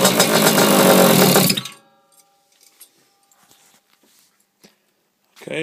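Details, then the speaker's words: Simonini engine on Vespa Piaggio Ciao with modified cylinder head and decompression valve, after internal rotor setup and timing: short crisp two-stroke bark about 220 beats a minute, revs freely and cuts off cleanly; healthy. "so yeah the system seems to work so I'm quite happy about that and makes a lot of noise actually it sounds like it really wants to go"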